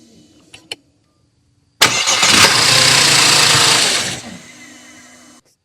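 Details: 2005 Audi A6 3.2L Quattro: a couple of faint starter clicks with no crank, then a later attempt cranks and fires into steady idle; intermittent no-crank from faulty starter motor, fixed by starter replacement.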